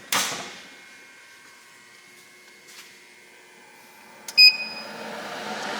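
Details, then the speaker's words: ARCCAPTAIN 200P AC/DC TIG welder first power-up: switch click, short beep, then soft whoosh as cooling fan spins up; normal power-on. "Power up, you can hear the fan."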